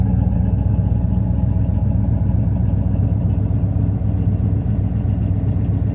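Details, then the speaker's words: 1970 Pontiac LeMans Sport, 400 V8, four-speed manual, K&N intake, just started and burning condensation from the pipes. Deep, steady V8 idle with faint irregular ticking pops; the owner suspects a manifold gasket exhaust leak. Exhaust popping at idle. "runs smooth has a bit of an exhaust leak I think I need to replace the manifold gaskets that's where you're getting that popping from"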